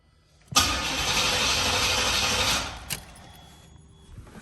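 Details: Chevy box with a fuel-injected 305, running on starter fluid: about two seconds of harsh, hissy cranking with a brief catch that dies at once. Fires momentarily but won't keep running; fuel pump heard.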